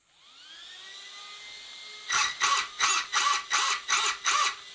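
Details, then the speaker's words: Schumacher Cat L1 Evo RC buggy slipper clutch deliberately set too loose: fan whir, then seven sharp buzzing bursts about three a second on throttle punches as the slipper slips; fix is tightening the slipper nut. "That's right, it's too loose, so we'll have to tighten the nut, and hopefully it will be correct."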